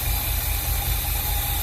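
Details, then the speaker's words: 1986 squarebody 496 big-block V8 after new Accel 9000 ceramic plug wires, about 15.5–16 AFR and 8.5 psi fuel pressure: low, steady, even idle rumble with no misses or knocks; normal healthy idle. "Oh, it's sounding pretty good right now."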